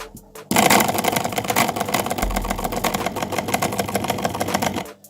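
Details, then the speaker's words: Braun MQ-500 hand blender motor, previously not running at all, freed with pliers: rough, crackling buzz with uneven chatter while sparks show inside; seized bearing loading the motor, brushes sparking, strong smell. "Bakın şimdi çalıştırıyorum. E şuradan çekim yapabilir misin? Bak içinden çıkan kıvılcımlar görünüyor mu?"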